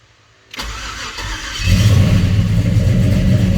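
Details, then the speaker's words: 94 Chevy Caprice LS swap with a stock 5.3 V8 on a Holley Terminator X MAX, FloTech manifolds, 2.5" pipe and Flowmaster 10 Series mufflers, first start: a brief crank, then it fires right up into a strong, steady idle. "oh fired right up"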